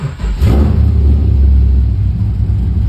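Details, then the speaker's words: Nissan S14 240SX with LS2 V8 swap, T56, mild cam, reportedly 390 wheel horsepower, in neutral: brief crank, catches and settles into deep steady rumble, no knocks or misses; runs well, owner thinks startup enrichment needs a retune. "but this thing's pretty solid. Seems like it runs great. It's got a little cam in it."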